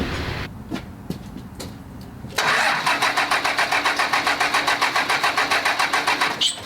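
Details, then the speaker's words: 2000 Dodge Ram 2500, 24v Cummins turbo diesel, just after installing 150hp injectors: the starter cranks steadily at about three and a half compressions a second without firing, turning over at length to purge air from the fuel lines. "I'm gonna go ahead and close these guys off, put the intake horn, and see if we can't hear a fire."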